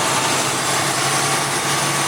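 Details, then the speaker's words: Diesel Big Brute with a fairly new turbo, automatic, at idle: steady exhaust hiss with a faint high whistle. Owner first suspected a boost leak. Exhaust leak at cracked turbo elbow flange. "اوہ، کہیں سے ہوا نکل رہی ہے۔ مجھے یہ پسند نہیں ہے۔"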